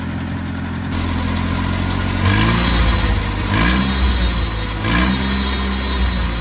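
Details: Oliver Cletrac OC3 crawler warming up at idle after a manifold gasket change, with the carburetor being adjusted: a steady, even idle with short throttle blips, no misses or knocks, barely any smoke. Before, it died under steering load. Normal warm-up idle.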